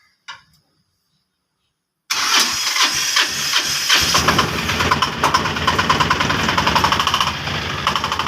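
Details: 2022 Piaggio Ape BS6 diesel after engine rebuild for noise from broken crank thrust washer, refilled with 2 L 5W30; short crank, catches quickly, steady even clatter, no knocking; starts and idles normally.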